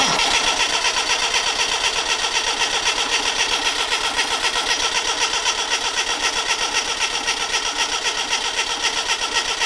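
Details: Classic Mini Clubman campervan, sat unused for years, first start attempt right after adding fuel: steady rapid cranking about four turns a second, never catching; crank-no-start, fuel not yet pumped up suspected, spark and leads to be checked.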